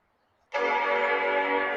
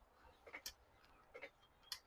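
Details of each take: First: 1995 Macintosh 5300/100 LC powered straight without current limiter: clean steady startup chord at power-on, though screen at first stays dark. Normal startup chime. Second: 1995 Macintosh 5300/100 LC powered through a dim-bulb current limiter: sharp dry clicks roughly every half second as the bulb flashes on and off; supply going into protection mode, suspected not enough current through the bulb.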